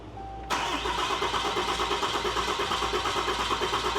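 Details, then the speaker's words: Newly built 6.7L Cummins diesel truck engine (Tow Monster Plus build), oil, coolant and power steering filled and pressure tested, on a repeat start attempt: starter cranks with a steady pulse about three per second but never catches. "that's enough. It should have fired by now. Yeah, it should have went by now."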